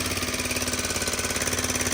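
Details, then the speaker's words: Honda FourTrax 300 ATV, felt to have low compression, valves reportedly adjusted by the previous owner, idle just turned down: fast, even top-end ticking; intake valve or something slapping under the valve cover suspected, unconfirmed. "Now that it's down, it kind of sounds like it could be the intake valve. Yeah, I feel like it's up here."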